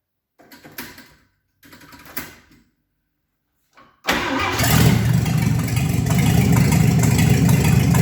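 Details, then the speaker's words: 1954 Chevy 3100 truck with later-model 235 six, dual carbs, new short-shaft water pump, old gas still in tank: a few cranking bursts then an even steady idle with no misses; sounds real good. "sounds good sounds real good actually um definitely need to burn that old gas out of there"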